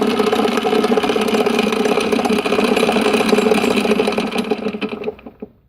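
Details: Bridgeport-clone knee milling machine: rough grinding over a steady mid-pitched tone from the head, fading as the spindle coasts down. Cause unknown.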